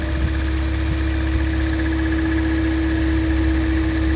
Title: Strange Noise Porsche Macan S